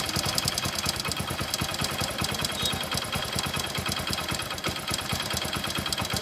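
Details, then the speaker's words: Idling motorcycle with fast, busy metallic clatter and ticking; the mechanic identifies a failed timing chain inside the engine, with valve noise mixed in, and says fitting a new timing chain will fix it. "ఇప్పుడైతే engine లోపల timing chain పోతే మనకి ఈ విధంగా అయితే sound వస్తుంది అనమాట."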